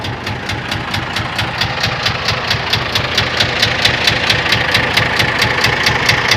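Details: Scania 124 diesel at idle; sharp metallic knock about twice a second, evenly spaced, over the idle, internal engine knock, cause undetermined.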